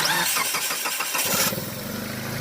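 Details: Mitsubishi Lancer Ralliart after no-start repair involving an overheating 20 A fuse and no power to injectors: brief rough crank, then the engine catches within a second and settles into a steady, even idle.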